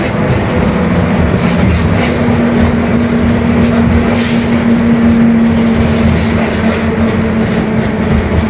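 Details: Mercedes-Benz OF-1721 Bluetec 5 city bus, 2021 build, Mascarello GranVia Midi long body, onboard while cruising: a steady low hum at a fixed pitch under the rolling rumble, a worn differential growling.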